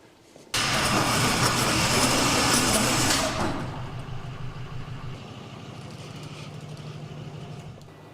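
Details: 2009 Hyundai Tucson 2.0 GDI, smoking heavily with codes P0300, P0302, P0304: engine catches with a loud rush, then rough uneven idle, dead on cylinder 2; cause later found to be a holed piston.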